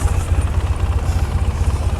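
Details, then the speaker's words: 2004 Polaris Sportsman 600 Twin ATV, started after sitting for a long time and now idling without choke: an even, steady thumping with no misses, though the starter is bad. Normal idle. "all right the good news is it's running pretty good"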